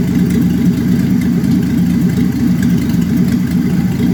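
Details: 1966 Chevrolet Impala 250 cid inline-six at idle: a low, uneven, lumpy beat with no clear knock. Rough idle, cause unknown.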